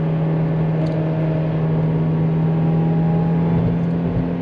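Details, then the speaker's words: Toyota 2ZZ engine in a cheap road-trip car, third gear at about 50–55 mph and roughly 5,000 rpm: steady high-rev drone, even tone, no knock or chain slap, only a light rattle, possibly harmonic exhaust rattle; happy healthy running. "Because all I'm hearing currently is just a really happy 2ZZ that likes to run up into those high revs."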